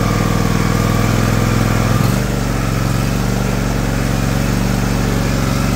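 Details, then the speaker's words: John Deere LX178 mower after carburetor replacement (previously very rich, leaking gas), throttle cable disconnected: smooth even idle easing down slightly as idle speed screw is turned, steady beat, no misses; running healthy. "let's see if we can slow that down wow that's an impressive engine"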